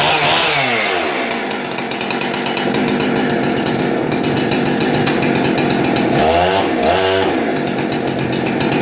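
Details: Husqvarna 371XP chainsaw, barn find, serviced with a swapped-in fully adjustable Walbro carb, dual-port muffler mod and mostly new brake system: fires and revs cleanly with crisp throttle pickup and an even high buzz; runs strong.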